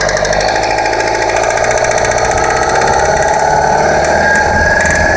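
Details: 2008 Yamaha R6R being ridden: loud engine with a rough, rattly mechanical noise that rises and falls with rpm and stops as soon as the clutch is pulled in. Drivetrain noise, cause not confirmed.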